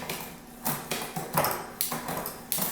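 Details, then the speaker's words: XF650 bike during pre-ride checks, after rear derailleur cable tension adjusted to remove hesitation: crisp single clicks as chain steps across cogs, shifting smoothly up and down with no rattle or hesitation; normal derailleur shifting. "nice and smooth up nice and smooth down okay that's about it"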